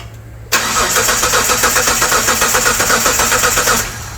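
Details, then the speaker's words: 1998 Mitsubishi 3000GT SOHC 3.0L V6, sat over 12 years, new distributor, coil and PTU, strong spark: brisk, even cranking at about four turns a second with no firing; crank-no-start, likely because the distributor was installed 180° out. "Was a distributor 180 out. We probably have the distributor 180° out."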